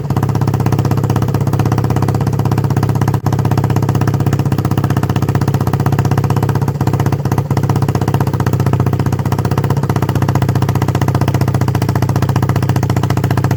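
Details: 1976 Honda XL250 single with 8000 km, first start after a three-month restoration: strong, steady, even low thumping at idle, loud and open with no muffler, running smooth and healthy.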